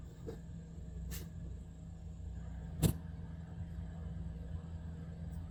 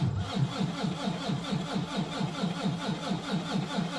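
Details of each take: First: Volvo VNL D13 diesel truck with an ongoing hard-start problem (owner suspects injectors, air in the line or fuel pump): it fires promptly this time, a low, even rumble with a few faint clicks, idling normally. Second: Volvo VNL D13 diesel truck, cold start at about −10 °C outside, oil −14, battery 11.6 V: steady starter churn with even compression pulses, about four per second, never catching; long crank, no start, owner suspects injectors.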